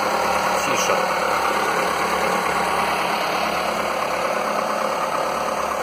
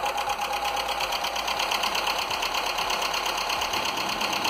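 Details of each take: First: Skoda 1.4 16V petrol, morning cold start the day after the piston replacement; a smooth, steady idle with no knocking; the piston slap, which had knocked cold and more when warm, is gone. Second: Skoda (probably Fabia) 1.4 16V (BKY) petrol, first start after a rebuild with used pistons and oil poured on them; light, rapid, even tapping over the running engine; piston slap still present, which may quiet as it runs in.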